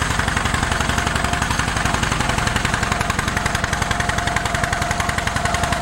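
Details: 1947 John Deere B two-cylinder tractor, warming up before an uphill run: uneven chuffing beat with gaps between firings, found to be running on one cylinder; spark plugs were replaced as the fix.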